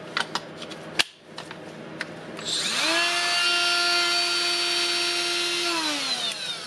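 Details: Milwaukee M12FDGA angled die grinder after switch teardown and repair, run through its speeds: spins up to a clean, steady high whine, then winds down smoothly with no grinding or rattle; motor healthy.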